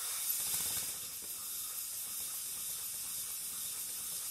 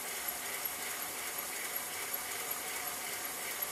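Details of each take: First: Pennsylvania A3 switcher model steam locomotive on air after removing piston rings and sanding pistons: self-starts, soft even slow exhaust puffs, no knocks, runs freely and smoothly on as little as 4 PSI. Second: Pennsylvania A3 switcher model steam engine on its first run on compressed air, using 15–20 PSI with compressor noise in the background. Steady air hiss with faint, irregular puffs about three per second; parts are too tight and valve timing issues are suspected.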